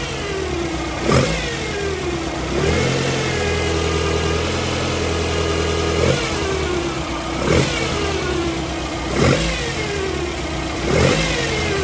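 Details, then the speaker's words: Toyota 3TC with newly installed gear drive, carbureted, cold start in garage: quiet at idle, gear whine rising and falling with each throttle blip, louder inside the garage; normal gear drive whine. "so you can hear it inside more than outside I'm okay with that for right now"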